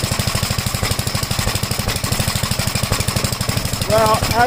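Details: 1956 Gravely Model L single-cylinder at fast idle after choke start: uneven thumping with occasional stumbles; rough running, smoked at startup, spark plug oily; owner suspects top-end/valve problem, not confirmed.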